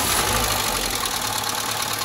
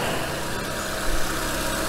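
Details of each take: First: Nissan Almera G15, Renault K4M 1.6 16V, first start after top-end rebuild with new hydraulic lifters: fast light ticking over idle about three per second; one lifter will not bleed up and keeps tapping. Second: Renault K4M 1.6 16V, after replacing knocking hydraulic lifters with proper ones: instant effect, smooth even idle, no ticking or tapping from the top end, no bleeding or revving needed; quiet, healthy valve train.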